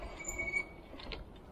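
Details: RKS DC15 electric bicycle: a brief, thin, high squeal rings out for a moment as the brakes are applied; the disc brakes are squealing.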